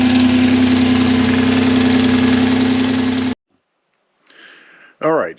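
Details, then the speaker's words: 3.4 L Toyota Tacoma V6 fitted with a York AC compressor converted to an air compressor, first startup: loud steady droning hum over the idle that stops with the engine; the compressor bearing was bad and the pulley bent. "that first startup was a disaster. Uh, that compressor was making noise. Turns out the bearing was bad."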